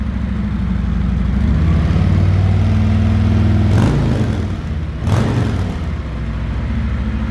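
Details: 2020 Harley-Davidson Road Glide Special, 114ci V-twin, stock exhaust before D&D Billet Cat 2-into-1 install: deep, loping low rumble, slightly uneven idle beat with two brief throttle blips; normal idle.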